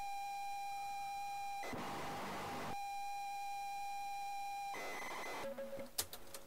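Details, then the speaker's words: ZX Spectrum cassette loading a Centipede-style shooter, possibly too long for the tape. A steady high pilot tone breaks into rough hissy data bursts, then stutters off: tape loading error. "doesn't want to load oh doesn't sound good"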